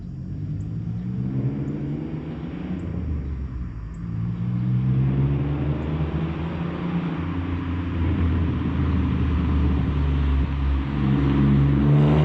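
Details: Supercharged Pontiac Fiero drive-by after replacing a faulty fuel injector, car still a little cold: the engine note climbs smoothly with no stumble or break-up; it runs a little better and stronger than before.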